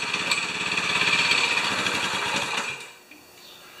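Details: 196cc single-cylinder plate compactor, previously seized, freed after suspected rusted rings and primed with fuel through the plug hole. On first run it keeps a quick, regular buzzing beat for a few seconds, then settles lower: normal running.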